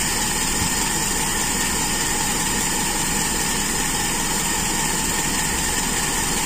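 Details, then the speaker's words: Toyota Kijang with Aisan carburettor after disassembly and tuning, throttle cable refitted, final idle: even, steady low rumble with no misses; mixture judged very slightly rich, kept that way for power at the customer's request. "menurut saya ini masih agak kaya dikit kurang miskin tapi sedikit sekali tapi kalau enaknya enak ini jangan terlalu miskin"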